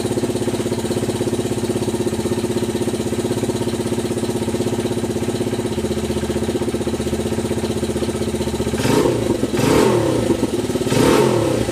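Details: Honda XR/CRF 80/100 yard bike just after carburetor clean and reassembly: steady single-cylinder idle with an even putter, then three clean, crisp throttle blips near the end. Normal idle and revving.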